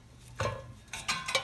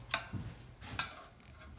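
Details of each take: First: Reel mower being set up for backlapping: after loosening top screws and tightening bottom adjusters 1/4 turn each side, a few faint, irregular light metallic ticks as the reel spins; blade just touching bedknife, needs further 1/4-turn adjustment. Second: Reel mower being set up for backlapping: after second 1/4-turn adjustment of bottom screws both sides, irregular dry ticks and scrapes, a little under three a second, as reel turns; blades contacting bedknife tightly, expected to loosen during lapping.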